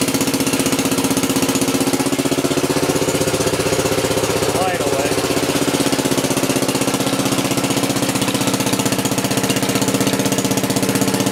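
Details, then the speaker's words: Wheel Horse 701 lawn tractor single-cylinder engine after replacing the ignition coil with an external-resistor type: quick, steady chuff around a couple of beats per second, unbroken with no misses; running healthy. "yeah it sounds good I did have to change the coil on it before I even attempted to fire this thing"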